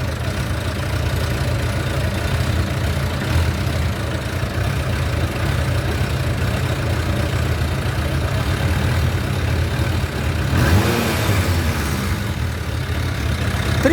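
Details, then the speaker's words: Motorcycle after the throttle cable and grip were adjusted and a missing washer was fitted: steady low idle thrum, then a light touch of throttle brings a quick, clean rise in revs with no hesitation. "acelerou tá demais tá demais tá demais"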